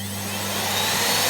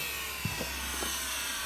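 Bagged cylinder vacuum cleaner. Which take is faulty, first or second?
second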